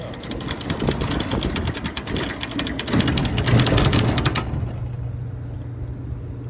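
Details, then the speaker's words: Walk-in freezer sitting at 30 degrees: rapid buzzing clicks, three or four a second, over a compressor hum as the low pressure control chatters on and off; likely killed the contactor as charge ran low; control needs replacing. "That low pressure control needs to be replaced because obviously you can hear how bad it's chattering, and that's not right."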